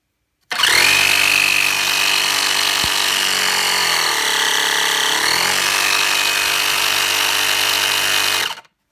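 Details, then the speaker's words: Repurposed portable air pump with gauge, converted to run off 12-volt cigarette lighter: loud, steady buzzing drone with a high whine that dips briefly under load then holds even; really loud but running normally. "So, but I wanted to run it, let you hear that it actually runs. It's got a power switch here and an air pump gouge, as Jesse would say. So we'll turn it on. It's really loud."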